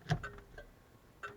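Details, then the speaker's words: Key in run position while wiring a DD-EFI digital dash in a car: a few light, evenly spaced flasher clicks in a quiet cabin as left and right turn signals are tested; turn signals working normally. "left turn signal so that is working there's the right turn signal"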